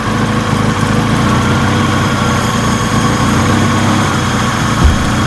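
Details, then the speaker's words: Engine idling before installing an eBay throttle part: steady, even low rumble with no misses, but the idle speed is very low and near stalling, owner fears it may die; low idle. "so that means that it might just die because the idle drops too low"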